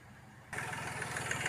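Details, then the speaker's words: Hyundai Grand i10 diesel (2015, BS4), restarted after engine work for a timing chain/tapping noise, with rpm held up and then eased to normal; the engine catches and idles evenly with a soft clatter, no tapping. Normal idle. "Finally हमने इस गाड़ी का engine बिल्कुल complete कर लिया है air filter लगा लिया है तो साउंड देखिए कितना अच्छा हो गया है"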